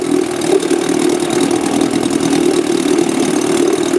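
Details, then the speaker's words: Outboard engine with failed magneto coils, run on a car battery with a substitute ignition, recoil start, tricky to start: steady, even mid-pitched burble with no misses or stumbles at constant speed; idling smoothly and running beautifully. "kind a bit tricky to start but it runs beautiful once he's going"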